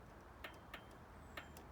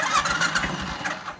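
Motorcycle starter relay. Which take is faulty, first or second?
first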